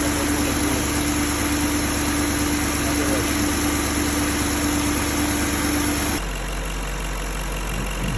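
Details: BMW M62B35 V8, fully warmed up, at idle after the same VANOS units were reinstalled with corrected timing. Even, settled idle with a steady hum, no ticking or knocking from the top end. Normal idle.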